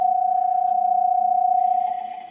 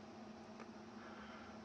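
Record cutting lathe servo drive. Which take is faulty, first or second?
first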